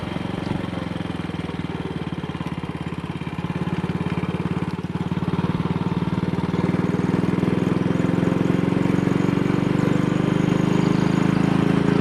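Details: Single-cylinder motorcycle with Wassell Evolution (Amal Concentric Mk 1 type) carburettor, after a twisted, dislodged needle clip was refitted: even thumps building smoothly to 45–50 mph indicated under load, with no stumbles or pops. No sign of the misfire so far.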